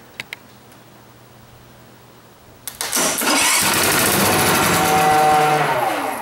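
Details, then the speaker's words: Montgomery Ward GX7, first start in 37 years: silence, then it fires on gas squirted in, races briefly and fades. It runs only on primed fuel; the float bowl and needle valve are badly gummed, so the carburetor needs an overhaul. "she runs yeah fire in the hole well obviously I need to do a carburetor overhaul"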